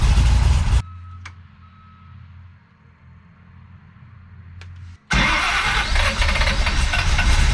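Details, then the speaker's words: Big-block Chevy with big cam and Holley 750 double pumper, after drilling holes in throttle butterflies: loud, lumpy, hunting idle that won't settle; still not right, suspected low vacuum from valve overlap limiting airflow, more tuning needed. "okay so the thing is when you got a big cam with a lot of valve overlap um your engine doesn't create the vacuum that it should"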